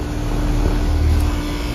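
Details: Brand-new Payne heat pump, installed last year, kicks on in defrost season with an even low drone and a steady compressor tone that settles in smoothly, with no rattles or knocks.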